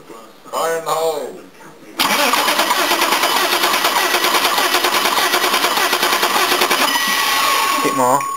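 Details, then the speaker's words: BMW M30 six-cylinder in an E32 735i with a hole in the cracked cylinder head casting: starter churns steadily with an uneven, labouring beat as coolant water is cranked out of the flooded cylinder. "well we're just going to crank it and get the water out of that cylinder"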